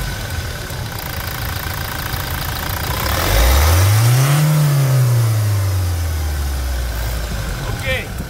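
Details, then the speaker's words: Toyota Hilux diesel at 350,000 km, new sound after timing chain replacement, for comparison with the old one: the engine blips smoothly and settles back to idle with no knocks or rattles. Normal, healthy revving. "agora guerreiros vamos escutar melodia nova e você faz a a comparação aí vai lá acelera"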